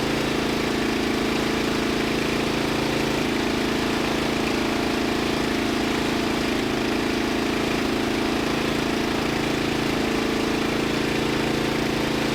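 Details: Murray LT1000 wide-body riding mower (2000), deck removed and custom-lowered, first jump-started run on starting fluid with the new exhaust: a fast, steady single-cylinder drone that never settles to a low idle; the throttle doesn't return fully.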